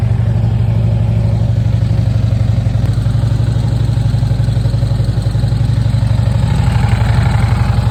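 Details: 2009 Harley-Davidson Road Glide after a primary rebuild with a new tensioner, compensators, gasket set and fresh fluid. Even, loping V-twin idle with a steady low thump and no clatter from the primary side; healthy.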